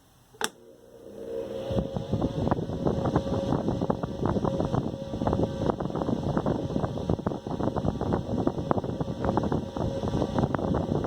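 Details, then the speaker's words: 1960s Eskimo desk fan model 081005, 50+ years old, first test run on isolation transformer: fan starts, then rapid uneven rattling chatter rides over motor hum throughout, bearing hop with harmonics; spin-down time still great. "interesting that we got bearing hop. Definitely got some harmonics going on there."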